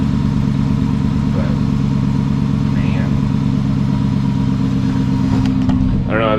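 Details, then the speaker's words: 2006 Dodge Magnum after swapping the suitcase muffler for two pass-through Magnaflows, full exhaust with rear mufflers, before warm-up: steady, even low drone with a soft, muted exhaust note and no rasp; quiet, healthy exhaust. "yeah it's uh doesn't sound like anything but i'm gonna let it warm up and give it a few rubs we'll see what it sounds like then"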